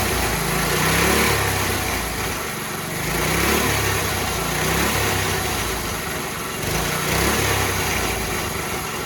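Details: Coyote Bullet go-kart small engine with a new carburetor, smaller sprocket and adjusted chain: revs up and drops back in smooth repeated blips with a clean, even buzz. Normal running.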